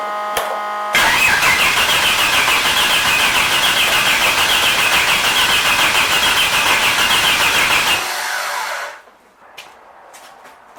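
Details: 250ci Ford inline-six after fitting new distributor with Hall-effect pickup: starter cranks steadily about 3.5 beats/s for seven seconds but engine never catches; owner suspects timing off or weak battery charge, not confirmed.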